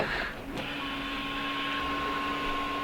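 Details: VW Rabbit Pickup windshield washer pump, tested after the washer jets were repaired and a button's two missing wires were traced. A click, then a steady, even electric hum at constant pitch; the pump runs normally.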